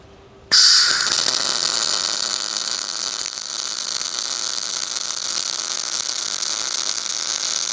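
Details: Everlast Power i-MIG 315 MIG welder, CO2 gas, 0.030 ER70S-6 wire, short-circuit mode on carbon steel: sudden start into steady, even bacon-frying crackle without pops or gaps; well-tuned normal short-circuit arc.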